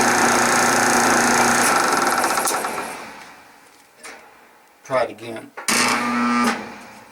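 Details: 1976 Westinghouse electric dryer, 43 years old, empty drum, camera on tile floor: motor hums and strains, fades without spinning up, then gives short buzzy tries. Hard start from worn bronze motor bushing tilting the pulley; starts when drum is turned by hand.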